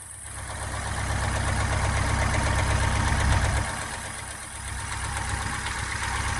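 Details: Subaru Impreza STI idling; idle surges then settles, with a steady dull knock about four a second underneath, owner suspects piston slap, source unclear.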